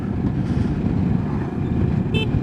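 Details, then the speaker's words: 2022 Moto Morini X-Cape 650, new bike, horn tested while engine runs. One short, clear, crisp horn blast over steady engine rumble; horn works normally. "It's a horn. It does horny stuff."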